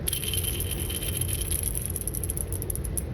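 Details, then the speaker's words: Old steel garage door roller, bottom one, spun by hand; dry gritty rattle with thin metallic ring, worn corroded bearing, replaced with sealed-bearing nylon roller. "you can hear a lot of noise whereas the new one better bearings everything's sealed everything's lubricated but over time these those bearings just wear out for one thing or they get things in them and get corroded"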